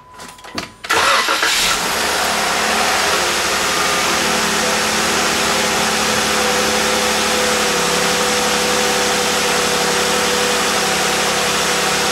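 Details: 2012+ Jeep JK Pentastar V6 after new spark plugs and upper intake manifold gaskets: quick crank, catches immediately and settles into a smooth, even idle with no misses or knocks; starts faster than before.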